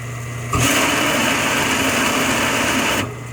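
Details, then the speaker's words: 2001 Coleman Maxx hot tub pump: fine on low speed, then switched to high speed gives loud harsh rushing whine for about 2.5 seconds; noisy on high speed, not so a couple weeks ago. "That pump sure sounds noisy now though. It didn't sound like that a couple weeks ago. That's on low speed, it sounds fine. This is high speed."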